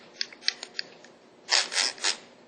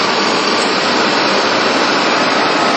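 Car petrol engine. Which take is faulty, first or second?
first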